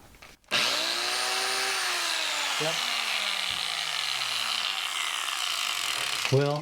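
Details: Electric angle grinder that quit after 30 seconds of sharpening mower blades, now with new brushes and reassembled. Motor spins up fast to a clean, even high whine and holds steady without rattle or grinding, then winds down; it runs normally.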